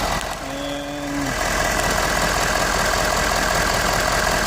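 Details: Ford 6.7 Powerstroke diesel, no-start from weak battery (12.12 V) with one-touch start: short whine at start-up then even diesel clatter at steady idle, charging 13.9 V at about 22 A; running normally.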